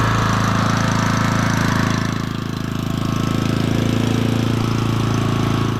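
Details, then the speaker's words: Auction-bought small single-cylinder generator, first run after adding fuel: steady, even speed and constant low hum with no knocks or surging; slight fuel weep from the fuel bowl; normal running. "actually sounds really good let's plug something in"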